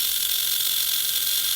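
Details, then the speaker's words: Viper V1 slot car chassis with a Lexan body, bought at auction, being tested after reassembly. A steady, high, rough whirring gear buzz with a gritty edge while the motor spins. The drive gears are noisy and unhappy, suspected of poor meshing. "Those gears are not happy."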